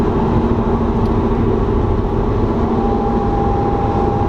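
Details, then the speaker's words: 2007 BMW E92 335i (N54) with the check-engine light on for O2 sensors and low boost. During a sixth-gear roll-on into boost on the interstate, a faint, steady whirr sounds supercharger-like. The owner suspects the rear turbo; the source is unconfirmed. "you all hear that whirring noise sounds like a supercharger kinda"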